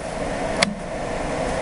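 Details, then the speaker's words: Goodman GPH heat pump package unit after evaporator coil replacement and recharge, controlled by a Zebrastat, switched from off to cool: single sharp click over steady fan hum as the reversing valve energizes and shifts over; normal changeover. "you hear it click over right there then we're going to hit cool one yellow"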